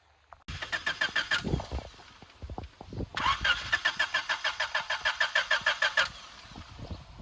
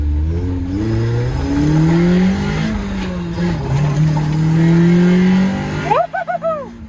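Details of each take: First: Abandoned Honda EF9 Civic being restored, cranking with grease spray. Three bursts of steady starter cranking at about three turns a second, never catches. No fuel; the pump could not be heard, and after two relays the fuel pump was found dead. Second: Abandoned Honda Civic EF9 being checked before it is trailered away for restoration: the engine revs up cleanly several times and settles back with no stumbles or rattles, so it runs fine.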